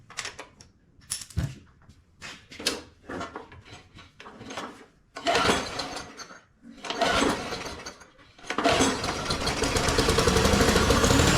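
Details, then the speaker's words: Push mower that sat 6 years out in the elements, clean oil, gas poured into the carburetor: sputters and surges unevenly after starting, catching and fading into a rough run; air filter needs cleaning, cause not confirmed. "all right well she definitely needs an air filter cleaned at least"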